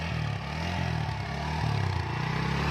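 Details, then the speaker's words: TVS Apache RTR 160 4V motorcycle after silencer repair with two spot welds, revved: steady, deep, clear exhaust note free of rattles or leaks, like new. "Silencer से आवाज़ जो आ रही है, एकदम clear आवाज़ आ रही है, कोई दिक्कत नहीं है, सुन सकते हैं"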